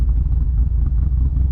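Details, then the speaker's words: Car with stock V8 running a Lund ghost cam tune, no actual cams: deep rumbling idle with an uneven, inconsistent loping chop, changing slightly when the AC is switched on; engine must be kept above 1200 rpm. "normally when you hear a car loping it just says like chop chop chop chop chop but this one chops in a unique way and because you don't really you're not really running cams actual cams it's uh you're gonna get that inconsistency"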